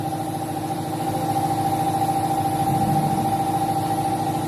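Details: 2013 Chevrolet Malibu 2.4 under misfire diagnosis with DTC P0300 and ignition coil number 3 flagged: an even, smooth idle pulse at a steady speed with no stumbles or skipped beats.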